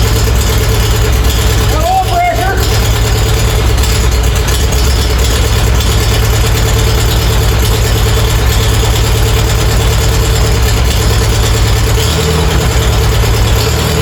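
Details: Farmall A tractor running after sitting over 10 years, with new radiator, fan, belts and hoses; carburetor still needs work; loud, steady low chugging at even beat, no knocks or misses; normal idle.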